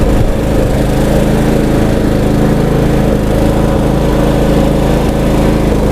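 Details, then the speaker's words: Troy-Bilt Bronco riding mower, long-stored, after carburettor replacement and new battery: steady, even single-cylinder drone with a low throb, no misses, surging or knocks; runs smoothly after the repair. "all right so there you have it the long was running"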